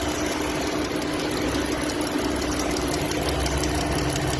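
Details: Dodge Durango engine idling with a light, regular ticking knock over the steady hum; knocking noise present, cause not identified.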